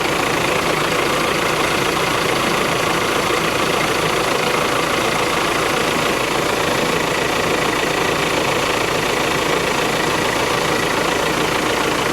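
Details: VW Crafter campervan diesel, first start after replacing the faulty AC compressor blamed for snapped serpentine belts, filmed from underneath: loud, steady, even diesel clatter at idle with no squeal or knock; normal, though the belt tensioner jumps around.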